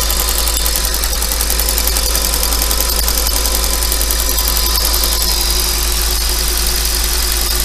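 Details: 5.2 FSI engine at slightly raised idle: even idle with a fast light rattle over the engine hum, some loose clatter; owner asks whether it is normal and suspects piston slap, unconfirmed.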